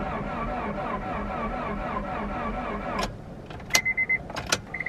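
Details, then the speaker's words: Front-wrecked Honda Prelude that has not run since purchase; owner suspected belt tension from crash damage was slowing it, and an alternator plug wire was found cut: slow, labored, wavering cranking for three seconds, no firing; slow cranking, no start. "maybe it just needs a lot of power to turn over this freaking boat motor i don't know let me turn it over again just to see if it got any better"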